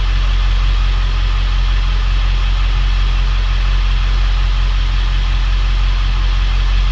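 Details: Ford 7.3L Powerstroke diesel 1-ton dump truck after valve cover gasket repair fixed the problem: deep steady idle with even beat, no skips or rough patches; sounds much better, smoked briefly at first.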